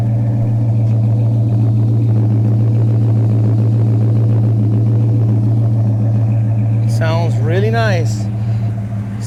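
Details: 1977 Chevy Nova Concours V8 after replacing a smashed, leaking carburetor-to-intake gasket, new plugs, wires, cap and rotor, and carb adjustment: steady, even low idle with smooth regular beat, no stumbles or misses; normal idle.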